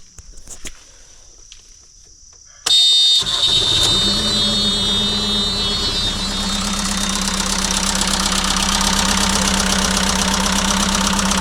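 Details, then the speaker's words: Circa-2006 JCB 180T compact track loader diesel cranks, catches and settles into a clattery idle with a fast light tick; soot seen coming from the turbo, so an exhaust leak is suspected as the ticking source; possible slight blow-by. "looks like soot is coming out of the turbo maybe there's an exhaust leak there that could be the ticking that they were hearing"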